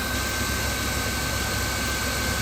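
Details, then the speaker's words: 2000 Chrysler Town & Country 3.3L, idling after replacing a serpentine belt tensioner: even, steady hum with faint constant tone, no more chirping or squealing; belt drive healthy. "beautiful no more chirping and squealing"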